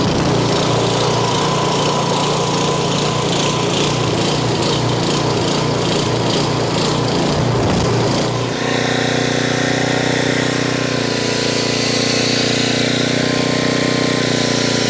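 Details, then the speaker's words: Homelite 4000 watt generator that sat unused and wouldn't run, after carburetor cleaning and quarter-turn needle valve adjustment that cured surging: small engine holds a steady, even speed with no hunting; running normally. "There she is, running like a champ. I did have to adjust this needle valve down below here."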